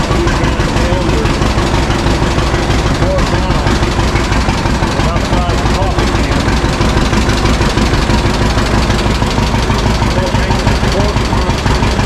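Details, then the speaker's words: 1952 John Deere G two-cylinder tractor just started after about four years stored, after refuelling the correct tank and fixing leaks; slow, deep, even pop-pop about three per second with no misses; owner says it always idled down well: healthy idle. "good pretty good an old so scratcher always did idle down really good"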